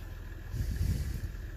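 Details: 2016 Ram 1500 EcoDiesel idling while the coolant temperature is watched, after a connector repair for a no-crank/no-start; coolant leak still present. Steady low rumble with one brief louder swell; normal idle.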